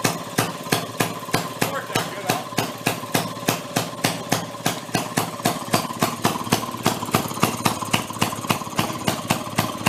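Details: 1937 Maytag 92 two-stroke washing machine engine from flea market, previously non-running, now kick-started on bench: sharp regular pops about three to four a second, steady beat; firing cleanly and running properly. Normal running.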